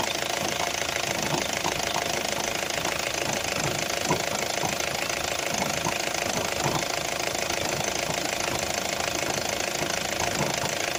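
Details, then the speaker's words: 2004 Opel Zafira diesel idling, heard from outside: irregular knocks about three a second without strict periodicity; possibly just clicking; cause unknown. "надеюсь слышно было он слуг такой не это не строй периодичности"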